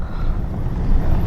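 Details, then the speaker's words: 2010 Ford F-150 4.6 V8 driving on a bumpy road after replacing front sway bar end links with heavy-duty ones: only steady road rumble and engine drone, no more clunking or rattling from the front end. "all right everyone pretty bumpy road check that out nice and quiet no more rattling no one bumping"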